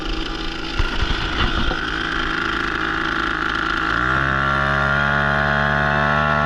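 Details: Brand-new Hangkai 3.5 HP two-stroke outboard (30:1 premix) starting after a couple of pumps and fuel switch on: handling noise, then it catches around four seconds and settles into a steady, even buzz in neutral. It is running normally.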